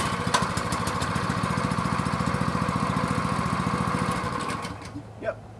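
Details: Brand-new Honda or clone engine on pressure washer, previously wouldn't start, running after low-oil sensor yellow wire disconnected: small single-cylinder runs with steady even beat for several seconds then winds down; healthy running.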